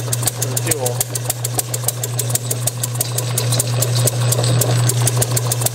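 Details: Bessemer model engine on a test bench, driven by an electric motor, with Hall-sensor ignition and timing retarded to about TDC. Sharp regular pops about three a second over the motor hum; it fires intermittently but won't carry itself. Owner suspects fuel/air starvation or compression leakage.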